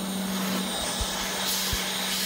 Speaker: And now once again using my Autel scan tool, I will turn on the pump and then open the control valve with the Mighty Vac to make sure it opens allowing air to pass through it.